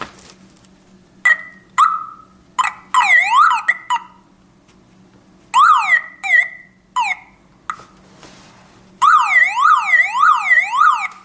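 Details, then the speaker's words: Toyota Camry hidden alarm siren unit with its own battery pack, reconnected by plugging its black cable back in: loud rising-and-falling wails in repeated bursts, cycling several tone patterns; the siren is working. "And then when I like to again listen to this music, I only insert that this black cable back, and we have nice music again."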